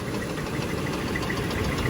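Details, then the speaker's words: 2001 Oldsmobile Bravada at rough idle with oil pressure and a full oil level; a fast, light metallic squeak rides on top, feared to be metal on metal and near lock-up. Bottom-end squeak, bearing suspected but unconfirmed. "That squeak makes me nervous. Yeah. That could be metal on metal"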